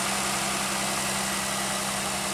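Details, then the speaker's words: 2001 Pontiac Aztek GT after rebuild, idling once the high-pitched noise was traced to three under-tightened bolts: even, steady idle with a constant low hum, no whistle or hunting, shaking less though a misfire code remains. "I can't believe that was at the entire time and listen it sounds good it's not even shaking as much now"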